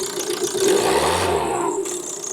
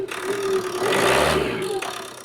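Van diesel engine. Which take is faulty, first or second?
first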